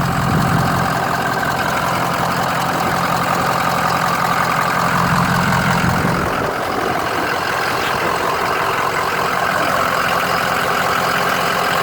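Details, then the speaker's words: 2010 Ford E-450 V8, 83,773 miles, no check engine lights: smooth, even idle with steady low rumble, no knocks, ticks or misses; engine running as it should. "No check engine lights, no dummy lights, nothing like that. The engine sounds just like it should, idles smoothly."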